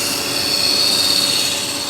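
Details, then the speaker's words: 1992 Dodge Dynasty 3.3L V6 at idle: a steady high-pitched, thin whir from under the hood. The AC compressor clutch is trying to spin with the AC off, and its clutch bearings are suspected to be going out. "yeah I think we got some compressor clutch bearings trying to go out"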